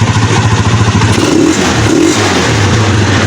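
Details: Rusi Macho 150 single-cylinder motorcycle, after carburetor slow jet replaced to cure no-start with strong spark; catches and runs with steady thumping beat, revs cleanly and settles on restart; normal running.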